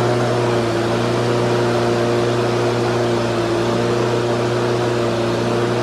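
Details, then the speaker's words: Husqvarna HU 600L push mower, Kohler XT149 engine that was hard to start and died in seconds, on old carburetor after flattening flanges and new gasket: single-cylinder runs flat out, steady high drone never settling to idle; running far too fast. "[Music] wow that's running awful fast"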